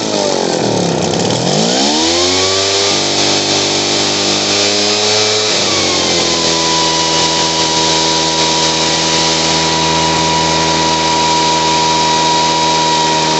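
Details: Poulan Pro PR46BT backpack blower with old carburetor, after turning the idle up: engine picks up cleanly from a dip and holds a steady, even high whine without bogging; normal running.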